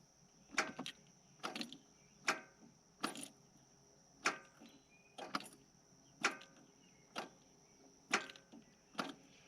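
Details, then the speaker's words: Yanmar 3200EX tractor that won't start: sharp single clicks about once a second with no cranking. This happens while safety switches are tested with the parking brake engaged and the PTO in neutral. The cause is unconfirmed. "I can hear it clicking, which tells me that one of these is probably working."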